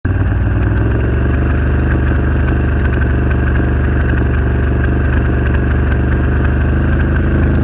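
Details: Renegade 1000 V-twin at low idle stutters and loses its even thump now and then; misfire, cause unknown.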